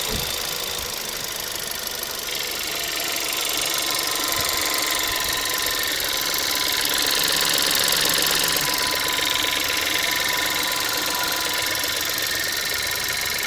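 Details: Škoda Fabia 1.2 TSI 81kW, new car, at idle: fast, fairly even metallic rattle a few beats per second, like chain rattling, over a smooth idle; source unconfirmed, owner asks whether it is normal.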